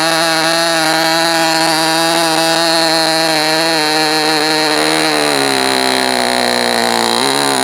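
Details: Enya 19-VI TV two-stroke model engine (steel sleeve, lapped cast iron piston, unknown history) on homebrew 80/20 fuel, Top Flight 8-6 wood prop, Indian No. 3 plug. High, smooth buzz run rich as a break-in heat cycle, briefly sagging. Normal running.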